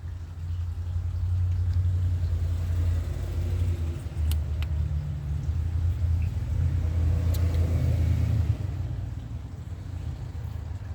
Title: 1994 Toyota Pickup No-Start, Timing Chain Jumped